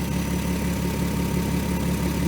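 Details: 2003 Volkswagen Eurovan VR6 after timing chains, guides, tensioner and sprockets replaced, warmed up: steady, even idle with smooth low hum, no rattle or ticking on top; previous chain noise fixed.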